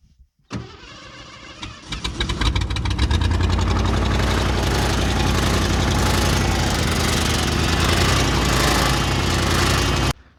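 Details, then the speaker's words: 1986 Mercury Grand Marquis LS Colony Park wagon, first start after a no-start was fixed by repairing an ECM ground wire: idles with a fast regular ticking that follows engine speed; fan hitting the fan shroud, owner suspects it is tweaked. "it does have a little bit of a problem which you can probably hear in the video the fan is hitting the fan shroud I don't know if it's a little bit tweaked I need to figure that out"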